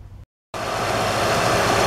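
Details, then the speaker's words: 2007 Honda Odyssey after replacing the serpentine belt tensioner assembly and a bad crank pulley (harmonic balancer): smooth, even idle with no more chirp or squeak from the belt. "much better no more chirpy chirp there you go"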